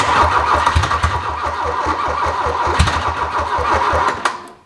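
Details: 1981 VW Rabbit abandoned over 20 years, cranked again after a small fire: starter churns about four pulses a second with only faint stray firing, never catching, then winds down; cranks but won't start.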